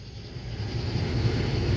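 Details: 2006 Honda Pilot, just under 200,000 miles, after replacing a failed blower motor that smelled burnt and quit or ran weak at random: strong, steady air rush building smoothly to a full, even roar on high with no rattle or ticking.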